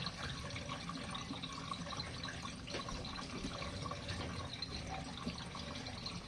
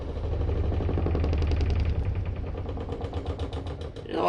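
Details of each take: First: RV washing machine on standard mode with warm water and medium water level, final drain before the last 3-minute spin. Quiet running water and trickling as the tub empties, no grinding or pump strain: normal drain. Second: RV washing machine on standard mode with warm water and medium water level, during spin: heavy, uneven low thumping about three times a second as the drum bangs out of balance; owner suspects worn shocks, not confirmed.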